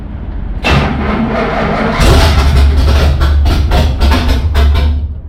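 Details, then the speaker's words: 1977 Pontiac Trans Am V8 first start during restoration, no gas pedal, timing not yet set, fuel delivery trouble: catches and revs unevenly, rough and lumpy with no steady idle; owner plans timing adjustment. "but she's alive and uh I got to set the timing and whatnot. So, I'm going to do a little more adjusting and uh see if we can't get her to idle."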